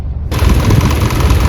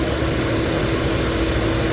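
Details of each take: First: 2024 Hyundai petrol/CNG car, little used, idling in petrol mode; loud lumpy idle with uneven thumps, RPM fluctuating and engine shaking, misfire code P030400 only in petrol mode, caused by low-flow petrol injectors. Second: Hyundai petrol/CNG car with misfire code P030400, idling on petrol after repair: smooth, steady hum with stable rpm, no stumble or misfire beat, no fault codes; normal idle.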